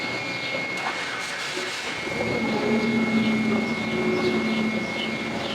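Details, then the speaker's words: Yale forklift after fixing a fuel tank leak from a missing O-ring: cranking then catches with a thin wavering tone over the idle, weird noise only at start then runs fine, no check engine light; suspected intake manifold leak, unconfirmed. "we finally got it started it's making a weird noise when it starts but then it runs good"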